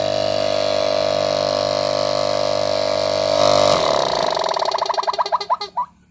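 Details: Refrigerator compressor seized from running out of oil, oil added above the piston before test; steady electric hum at fixed tone then winding-down warble, compressor runs but no discharge output, discharge line suspected blocked, possibly by plastic.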